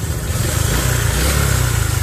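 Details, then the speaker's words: Honda Future 125 scooter at idle before teardown: fast, steady metallic rattle over the idle; worn cam chain tensioner. "Ừ rồi hôm nay là mình sẽ nhận xe của anh này là bị hư cái tăng cam nè Cái tăng cam cái bánh tăng ca mà"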